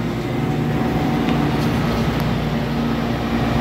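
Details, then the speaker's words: Normal condenser fan operation on a microchannel condenser after it was cleaned and rinsed: a steady rush of air and a smooth fan hum with no rubbing or ticking, giving strong airflow through the clean condenser. "okay so we're doing good now we've got nice air flow coming out that condenser"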